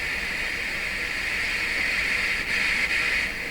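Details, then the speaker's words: Nordmende Traviata 59 tube radio during repair for a persistent low-volume problem (FM detector and electrolytic capacitors replaced): steady loud hiss of a weak FM station barely received, owner suspects the antenna, just a piece of wire. "reception a little weak but it could be a bad antenna i'm just using a piece of wire"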